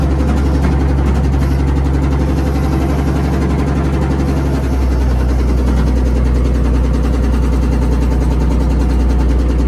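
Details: Old Komatsu WA180 wheel loader diesel: deep rumble with an uneven knock nearly four per second riding on top; rod knock from a worn connecting rod bearing, engine died and owner considers it finished.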